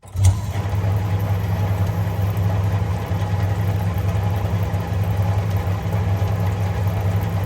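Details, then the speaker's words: 1952 Parnell tumble dryer, motor switched on from the back: quick thump, then smooth steady low hum with even belt drive to the drum and fan pulleys, slight belt slip at start-up; normal motor start and run. "so i'm just going to turn this to zero i'm going to turn this off and then you can watch it start up and stop so turning on now"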